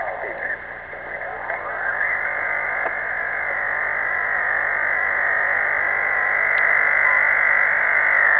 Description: This phenomena is really strange. It changes frequency constantly over the band.